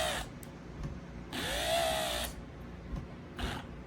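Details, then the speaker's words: Tilt and trim motor on a 1989 Astroglass boat's 150HP Mercury Black Max XR4, being tested after a seized-motor repair: short bursts of high whine, longest about a second, keep dying out; intermittent cut-out from a failed brush-wire solder joint. "Oh shoot, it ran for a second, then it stopped. Oh man. Okay, so I took apart this back part, and the brushes, the solder joint that I did that looked kind of cruddy, it was actually cruddy."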